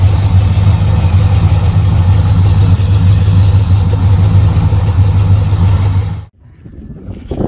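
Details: Camaro V8 with a newly fitted Edelbrock carburetor on a base tune: deep, loping burble at a slow, even idle around 700 rpm, no knocks or stumbles; healthy, well-settled idle.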